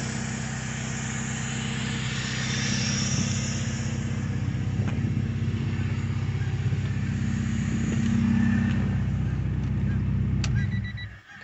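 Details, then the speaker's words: K24 K-series swapped car, full 3-inch straight exhaust with no cat, fuel pressure set around 50: steady, even idle with a deep, uniform exhaust note and no misses or knocks, then the engine shuts off cleanly. "i got the fuel pressure set around 50. and it's running really good guys"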